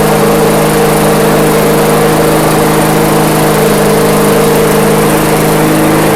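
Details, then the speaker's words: MTD/Yard Machines walk-behind mower after governor arm tweaked slightly down: smooth, even, steady drone with no hunting or surging; runs normally. "All right, cool. So that was it. The governor arm just needed a slight little tweak."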